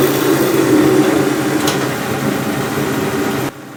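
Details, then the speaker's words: Mr. Heater MH 50 KR (Princess Auto PA 50 DKR) 50K BTU shop heater running at -14 °C outside, about -5 °C in shop: steady loud, even roar of burner and fan with no surges or misses, then it drops off sharply; normal running. "it's it's loud it's noisy when you're working in here like you know you can carry on conversation but it is loud"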